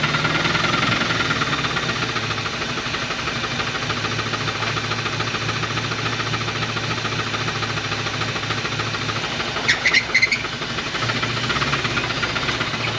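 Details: 1980 Dodge truck with a 360 V8 and four-barrel Thermoquad, sitting about 18 years, first start on fresh gas: rough, smoking idle with a heavy, fairly regular knock at a few beats per second, a known rod knock.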